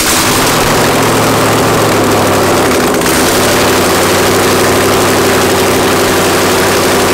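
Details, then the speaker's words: Mazda FD RX-7 with rebuilt 2002 LS6 V8, Trick Flow cam, first start with no headers or O2 sensors fitted; very loud, raw, steady beat with even low rumble, no misses or knocks. Normal running, open headers. "all right guys and that is what marca sounds like the car fired up no problems holy opening had a v8 actually no no header v8 that thing is ridiculously loud"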